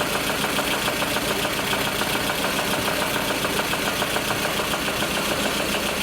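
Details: VAZ Lada Kalina idling; regular knock about twice a second under a harsh high screech; owner suspects low fuel pressure (pump or filter, 3.8 expected); knock source unconfirmed.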